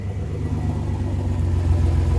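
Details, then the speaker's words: Chevy G10 Gambler van idling with the cheapest parts-store muffler and a short, tucked-up tailpipe just fitted: a steady low rumble with no ticking, puffing or rasp; the exhaust is sealed, not incredibly loud, and sounds pretty good. "really not incredibly loud, and it sounds pretty good."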